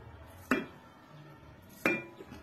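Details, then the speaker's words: Old one-year-old gas shock absorber, soft, pumped by hand off the car: two sharp metallic clunks about a second and a half apart, piston not returning; confirmed as source of the knock heard when turning the steering left or right. "Isang taon pa lang pero malambot na itong shock. Narinig niyo mga boss 'di ba? Lumabas 'yung ingay niya. Kaya nakumbinse ko na si customer na ito nga talaga 'yung pinanggagalingan ng lagutok niya."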